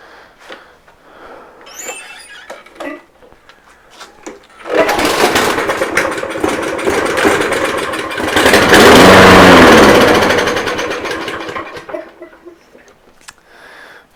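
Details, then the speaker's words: Toro Recycler mower with Briggs & Stratton engine and original air filter, after storage outside caused a fuel problem: it catches on the pull, runs up to a steady smooth drone, then winds down evenly; normal, healthy running. "sounds pretty healthy to me I'm not too worried about it"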